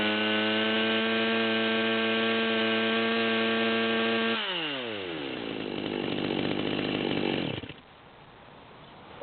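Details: Stihl MS200T chainsaw with 25" bar held at steady high no-load rev, high-speed screw backed out to the stop, with a faint half-speed burble (four-stroking from rich mixture), then winding down to a stop.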